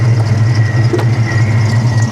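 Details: Faint, steady high supercharger whine over a deep, even idle rumble on a 1994 Ford Mustang GT 347 stroker with Powerdyne supercharger, hood open, about 80 psi oil pressure; ordinary supercharger whine, smooth idle.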